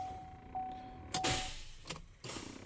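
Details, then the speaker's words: 2016-17 Chevrolet Colorado towed in after stalling suddenly on the highway and not restarting: key turned gives only a few sharp single clicks a second apart, no cranking, over a steady chime; seized engine suspected. "if you can hear it, all it does is the click click, that's all it does. So knowing that the car sort of suddenly stopped, I am thinking maybe a seized engine, perhaps even."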